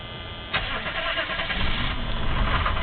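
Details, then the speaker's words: 1983 Chevy Suburban 6.2 diesel, unstarted for a couple days, glow plugs preheated via dash button: short crank, then catches and settles into an even, rough-edged clatter without stumbling; normal start after building fuel pressure. "Oh, beautiful. She hasn't run in a couple days, so it probably needs to build a little fuel pressure up. It does have the the pressure back up, but as you can see, it takes a little doing, but it does get going."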